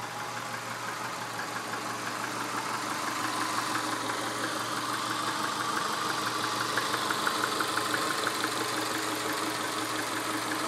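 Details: 1999 Subaru 2.5L EJ25 flat-four at 180K miles, idling: light, fairly regular tapping near three per second over the hum; piston slap evident, engine to be pulled for rebuild.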